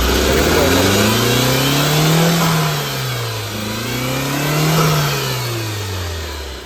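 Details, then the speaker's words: Tata Zest petrol before repair, check lamp and temperature light blinking: engine speed hunts up and down unevenly, heavy missing, almost no throttle response. Scan later shows cylinder 4 misfire (P0304, P0300). "गाड़ी start है missing है काफी ज्यादा missing बिल्कुल accelerator है ही नहीं hunting है बहुत ज्यादा हंटिंग"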